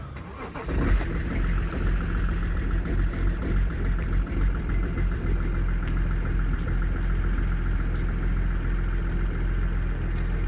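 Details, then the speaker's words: BMW E46 330d M57 diesel on cold start before crankcase breather (CCV/PCV) replacement: catches and settles to a slightly uneven idle; visibly smoking and misfiring a little; owner blames heater plugs for cold misfire, breather partly for smoke. "as you can clearly see, it's smoking, and it's misfiring a little bit. But it doesn't always misfire, but it does always smoke."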